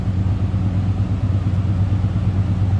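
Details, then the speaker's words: 1987 Oldsmobile Cutlass Supreme with 5.0-liter V8, about 67,405 miles indicated, heard from the rear: a deep, even exhaust rumble at steady idle with no misses or ticks, a healthy normal idle. "oh Rumble coming in at 307."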